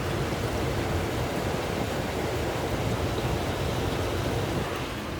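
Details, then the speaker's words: Rheem gas furnace on a heat call, blower running normally at low speed with a steady even rush of air and no rattles or bearing whine; circuit board replaced days earlier, water present, code 26 reported. "the yellow speed all that water wreaks havoc on these boards really let it heat up much"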